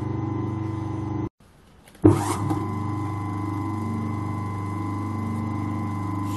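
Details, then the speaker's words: Century repulsion-start electric motor after the armature was shimmed with a homemade 1.2 mm stainless shim: a brief cut-out, then a steady, even hum. The earlier resonance is gone, with no buzz or rattle, so it runs normally. "Smooth now. That's quieted down. It was getting that bit of a resonance in it."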